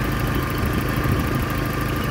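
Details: 1994 Toyota 22RE four-cylinder from a parts truck, engine reported good, loose belts and missing hoses: steady, even low idle with smooth rumble, no knocks or misses; running fine.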